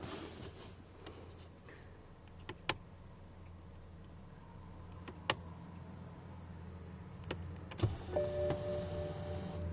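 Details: 2004–2009 BMW E60 550i power steering column moving up or down at car on/off: low motor hum for several seconds with faint squeaks and clicks; dry metal parts in the adjustment mechanism lacked lubricant, and WD-40 stopped the noise; steering column squeak.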